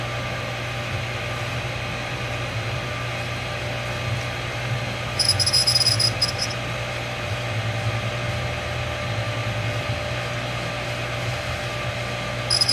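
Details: New 1.5 HP sprinkler pump squeaking after about 5 minutes running; steady motor hum with a thin high squeal in short bursts; owner unsure, thinks it sounds somewhat like a bearing; cause unconfirmed.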